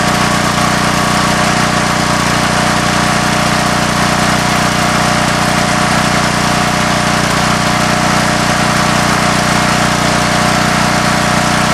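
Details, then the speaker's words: Coleman Vertex 7850 W vertical generator, 15 hp Gentech Pro overhead-valve Briggs & Stratton, electric start, new battery, owned since 2000: steady, even drone, no knocks, surges or misses; normal running. "It's got the Gentech Pro 15 horsepower overhead valve Briggs & Stratton engine. And it's in great working order."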